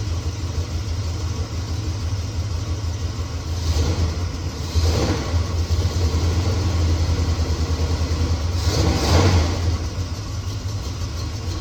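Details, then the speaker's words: 1969 Chevelle SS big-block V8, sat 37 years, restarted after loose spark plug terminals were tightened: lumpy, uneven idle between two brief revs, better than before but still rough; owner will check header pipes with a heat gun to confirm all 8 cylinders fire. "It's not running perfectly smooth. It's running better than it was,"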